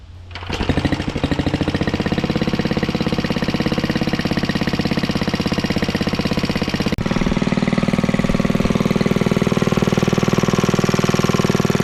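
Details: Antique Clinton 1100 series single-cylinder four-stroke, after freeing stuck exhaust valve, fitting oil bath air cleaner, new exhaust and fabricated governor linkage: catches then runs a steady even chuff about three firings a second, no misses or knocks; healthy.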